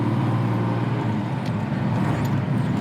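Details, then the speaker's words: Jaguar Mark II with its Moss gearbox, just off choke, pulling out onto the road. A soft steady gearbox whine under engine and road rumble, the distinctive healthy Moss box whine. "Going out onto the road, and you'll hear the lovely Moss box whine. Very distinctive, no doubt you're in a Mark II Jaguar."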